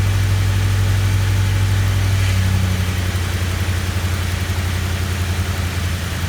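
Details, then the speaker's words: 2004 Ford Crown Victoria, 170,000 miles: steady V8 idle with light fast ticking at firing rate, exhaust manifold leak from two broken bolts or studs at the back of the driver's-side manifold, the notorious Ford broken bolt sound; before repair. "well you heard that right the notorious Ford broken exhaust manifold bolts sound this here is my define 2004 Ford Crown Victoria 170,000 miles on it"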